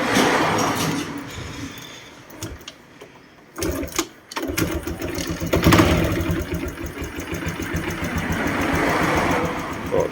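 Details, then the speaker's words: Honda Wave 110i whose engine was rebuilt about a month ago (bored piston, new rings); worse in the mornings. Starter cranks in uneven bursts, then it catches and runs unevenly and stalls unless throttled: hard starting, no compression, suspected leaking exhaust valve. "หลักอาจก็ไม่ค่อยมีนะครับผมตอนเช้าๆยิ่งสตาร์ทยากนะครับผมครับกำลังอัดไม่มีน่าจะเกี่ยวกับพวกระบบวาล์วนะครับน่าจะวาล์วไอเสียอ่ารั่วนะครับผม"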